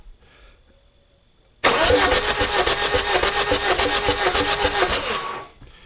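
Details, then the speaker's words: Chevy Cruze 2.0L diesel with glow plugs removed, cranking: starter spins evenly about three and a half pulses a second, each stroke pushing back the same through the glow plug hole; normal cranking compression. "that had compression that was good and you see it pump every time you also want to look at that you kind of see each piston stroke as it goes up"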